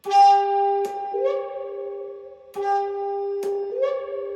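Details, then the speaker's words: 2002 Fender Vibroverb ('64 reissue) powering down: the tone holds, then droops and warbles in a muffled wah-wah fade as the filter caps drain. Normal power-down sound. "The best part is when you power this thing down in a cap strain. Check it out. Charlie Brown's teacher."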